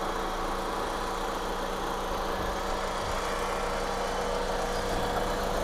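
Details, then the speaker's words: Mitsubishi Galant GTI after engine rebuild, first start, with old servo still fitted before replacement. Even, steady idle with a smooth low hum and no knocks, ticks or misses; clean and quiet. "Unang start. Ganda. Tahimik naman."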